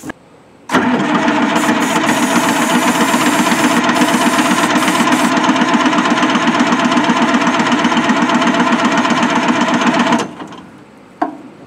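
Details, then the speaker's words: Old Pettibone Mercury forklift with Detroit engine, sitting abandoned for years, cranked on a jump pack thought to be weak; fuel filter also suspected. Starter drones about nine seconds at sluggish four turns a second without catching: slow cranking, no start. "Turning fast enough. Jump pack doesn't seem must not be very good if that's not turning that quick."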